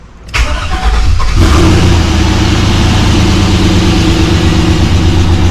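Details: Rebuilt 6.0 LS LQ4 V8 with Summit stage 1 truck cam in a 1986 Suburban C20, first fire-up: short crank, fires at about one and a half seconds, then settles into a strong, steady, even idle with good oil pressure.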